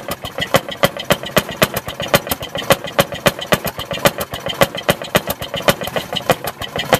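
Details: 1948 Fairmont M19-F rail speeder single-cylinder engine just started after priming with choke: sharp bangs about three to four a second with slightly loose spacing, firing cleanly as it warms; normal running.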